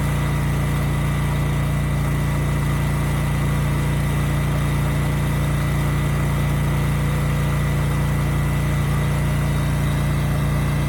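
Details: Used generator HU40500G after new generator head (stator and rotor) installed, under 3,000 W load: deep, even drone holding steady speed, no dips, knocks or surging; engine and power output good.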